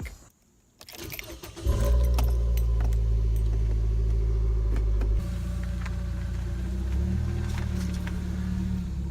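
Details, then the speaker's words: 2013 Nissan Versa before repair, with the exhaust pipe snapped at the flange: the engine catches and settles into a loud, deep, raspy rumble far louder than stock, so exhaust is leaking from the broken pipe. "I mean it's no wonder why it's making that noise I mean it doesn't take a rocket scientist to figure out that something's not right here"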